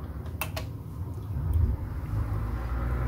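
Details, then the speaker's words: Potterton Prima B boiler with pilot lit, control turned to burner position, power and timer on: a couple of sharp clicks then a soft low roar building and holding steady; main burner lights cleanly and burns evenly. "and the burn is lit that's the main burner there come on you can see it there beautiful"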